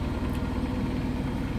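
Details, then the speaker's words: Biasi Riva HE boiler with a flashing red airflow-fault light, case off: steady fan roar with a rough fast burble underneath as the fan labours through water in the recuperator, making the flame go out. "so we could hear that noise that's why we could he that noise before that was a water inside here the fan trying to blow through the C recuperator because of the water build"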